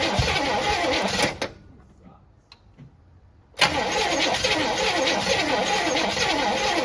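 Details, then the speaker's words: 1964 Chevy Impala cranked for the first time after about 50 years sitting, plugs filled and wires rechecked: two spells of even cranking about three turns a second, no firing stroke; spark confirmed good. Crank no start. "damn it's just not doing it you fill those plugs again try it again oh something doesn't sound right"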